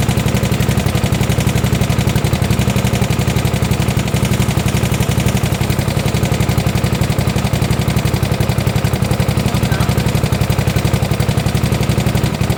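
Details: 1972 Gravely 816 tractor, Kohler Command 18 engine, first run after cutting the carb fix: hard, even knock about four per second over the drone; rod knock, engine blown up, power steering barely working.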